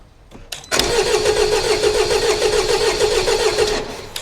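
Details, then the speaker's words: 2016 Jaguar XE Ingenium common-rail diesel, fuel pressure deliberately removed: even cranking at three to four compressions a second, never fires; fuel pressure doesn't rise, ECU not switching injectors. "So as you can see there, it cranked. We've got a big spillage of diesel. The injector didn't switch on, the fuel pressure didn't rise, proving that if I take fuel pressure away, the ECU will not switch on these injectors."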